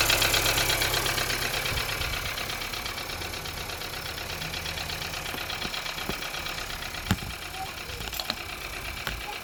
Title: 1.5 TSI sound on cold start. what could be problem? knocking noise